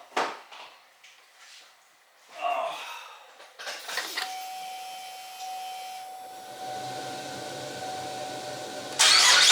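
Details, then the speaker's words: 2014 Buick Enclave 3.6L VVT, about 210,000 miles, first start after replacing ignition coils and spark plugs for a possible misfire: brief crank, catches and settles into a quiet even idle with no miss or knock. "Success. That's a pretty quiet engine for over 200,000 miles."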